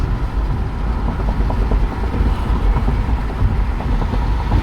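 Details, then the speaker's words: 2013 BMW X3 test drive after replacing control arms and struts and tightening a loose front passenger sway bar link. Only low, even road rumble, no clunks over bumps; normal suspension on road. "It was tight, but it wasn't tighten all the way down. So far, no noise."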